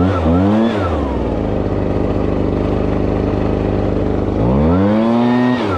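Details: Two-stroke blower with a 42cc engine rated 510 CFM, started choked on fuel left from use about two months earlier; clean buzz rising crisply on the throttle and settling back to a steady even idle; normal running.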